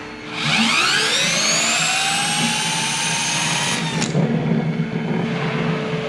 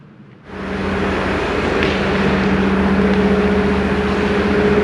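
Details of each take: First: Hyundai Kona Electric drive motor (about 30,000 km) removed and spun by hand on a bench with wooden supports: it whirs up, then coasts down with a dry, rough crackle underneath, from a rusted rotor bearing that matches the roar heard on the road. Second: Hyundai Kona Electric with 30,000 km, slow-speed road test after the gearbox repair, on summer tyres in snow; a low, even hum with no grinding or whining, the original roar is gone and it sounds normal.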